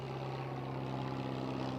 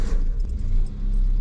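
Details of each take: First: Peugeot 205 engine idling with a deep droning, hollow aircraft-like roar and steady puffing; exhaust blowing through a rusted hole, an exhaust leak. Spark plugs still due for replacement. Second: Peugeot 205 with new spark plugs, warmed up and clutch adjusted beforehand: a low, even rumble with a faint jingle on top and no stumble or hunting. A perfect slow, steady, healthy idle.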